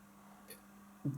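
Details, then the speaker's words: Realistic LAB 280 belt-drive automatic turntable, platter spinning with stylus up: faint steady low hum and one handling thump; noise from the drive motor, also audible on records, not from the cartridge, disappears when switched off. "this noise is noticeable on the on the record and it's not coming from the cartridge because when I switch it off you see the noise disappears"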